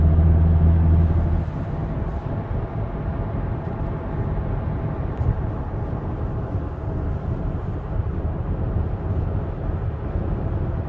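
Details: Audi driving with steady low droning rumble, no distinct rhythm, from a bad wheel bearing.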